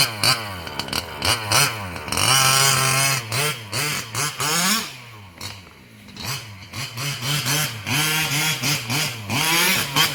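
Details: Losi 5B with OBR 34 two-stroke motor, first fire-up after rebuilding the bottom end following a failed crank bearing: small engine buzzing through quick throttle blips, revving up and dropping back cleanly with no rattle or grind; the earlier noise seems gone.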